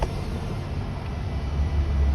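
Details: Ford Transit 350 that had no communication and no start, started after isolating the VCM and ECM from the network: short crank, then it fires and runs with a steady deep rumble; normal start and idle. High-speed data line suspected shorted to battery voltage.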